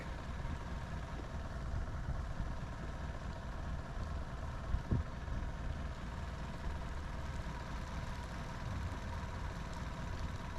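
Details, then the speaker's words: Sea Ray boat engine after fuel line replacement, idling low, all four cylinders dropping evenly. Low, slightly uneven idle. Active IAC fault and no response to the IAC test; circuit tested good, IAC valve bad. "I just ran an idle air control valve test with the engine on and saw no reaction. Idle is low though."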